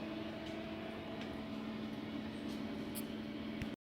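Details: Homemade air compressor, filling the tank with pressure heading toward 20 psi; steady even hum of constant pitch with no knocking or rattle; normal running.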